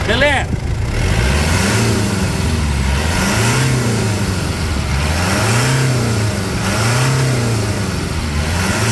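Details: Mitsubishi Pajero Full 3.2 diesel 4M41 after replacing external accessory belts (AC and alternator) that were squealing: revs up and down repeatedly, note rising and falling cleanly with no belt squeal; running normal.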